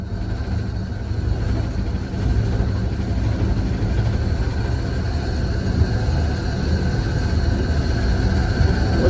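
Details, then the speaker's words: 1952 Dodge Wayfarer six-cylinder, being pushed to a friend's garage after coil cable and plug wire work: unintentionally push-started, and a low, even rumble grows louder as the engine catches and fires on its own. "that noise oh that's funny we were actually push starting it not intentionally but it started uh started firing that's funny this engine just wants to run"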